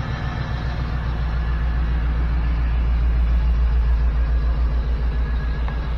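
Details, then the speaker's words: 1979 GMC C15 with LS V8 swap, after replacing three injectors to fix a P0300 misfire code: deep, even V8 rumble, revs rising slightly, all eight cylinders firing cleanly; normal running on all cylinders. "Oh yeah. That's how she's supposed to sound. Now that's running on all"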